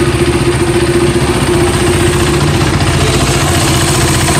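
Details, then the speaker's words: KTM Duke single-cylinder idle after the service centre replaced the worn intake camshaft and a rocker arm that caused ticking: even thumping, only faint light clatter left, about 90% resolved; harshness partly mic sensitivity; normal idle. "so now I will turn on the engine and I will show you that the problem is 90% resolved and there is significant increase in my pickup and performance"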